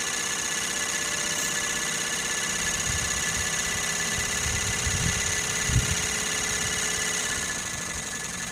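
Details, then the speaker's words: Sirius steam engine generator on steam, boiler holding 40 psi under full load, field powered at about 20 volts and 3 amps; oil separator and exhaust plumbing make it quiet. Soft steady hiss with faint even chuffing, no knocks; normal running. "It sounds almost like a an internal combustion engine is so loud. All this oil separator and plumbing on the exhaust makes it real quiet."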